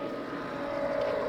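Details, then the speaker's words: Pool pump one, after supply frequency corrected from 50 Hz (pumps ran slow) to 60 Hz at 120 V: steady even mid-pitched hum with no surging or rattles; pump running properly at full 100% speed. "That pump is working the way it's supposed to be working at 100% because now it's using 60 hertz."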